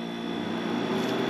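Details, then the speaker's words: Harvest Right freeze dryer after replacement of its touchscreen and USB board, started on candy mode for 3 hours of drying. Steady, even hum with a constant low tone and no knocks or rattles; it runs normally, starting a 15-minute cool-down. "and it sounds like we are in business. We just need to wait the 15-minute cool down and then I can get these loaded in."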